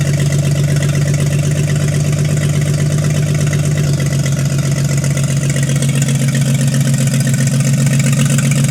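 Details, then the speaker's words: 1952 International L130 stock engine, first run after years sitting, points sanded, stuck throttle fixed, no muffler: loud, deep, steady idle with even low thrum and rapid regular pulse, idling on its own. Normal idle; health unchecked, compression test pending. "I am psyched to hear this engine run in who knows how long. and actually idling nonetheless."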